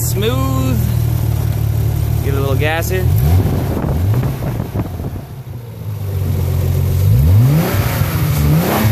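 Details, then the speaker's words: 1990 Nissan 300ZX twin turbo V6 with custom 2.5" turbo-back exhaust, Magnaflow mufflers, JWT intake and ECU tune: deep even idle then clean throttle blips, no misses or knocks; running nice and smooth. "I'm going to turn the car on now and let you listen to it all right there she is running everything's nice and"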